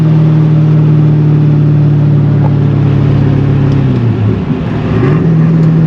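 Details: C5 Corvette, manual, hot day, pulling away from a light after the intake was reinstalled; steady rising tone, brief drop at the shift, clean pull again with no misses or tapping; running fine.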